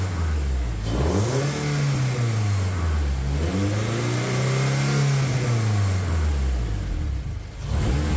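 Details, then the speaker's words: Honda K24-swapped Toyota Camry with a newly built turbo setup and full exhaust, first start, warming up and revved: loud deep note with rumbling burble and pops on overrun; exhaust flanges leaking, not the welds. "Got a full-on burble train going off at the back. I'll change the camera angle and give you a rev."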